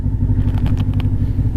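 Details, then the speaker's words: Kawasaki Ninja 500R twin, warmed up, in neutral; steady low burble with even pulses and a faint clatter, idling normally, burning off grime on the engine. "she's happy smells good too finally burning off a lot of that crap that's been on the engine so there you go Ninja 500R she's happy"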